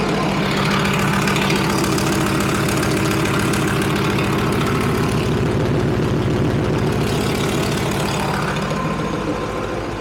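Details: Leopard tank engine test-run on the stand after the fuel injector bank O-rings and five or six cracked hoses were replaced, checking fuel lines for leaks: steady, even diesel chuff at fast idle, about 214 beats a minute, no misses or knocks. Healthy, no leaks.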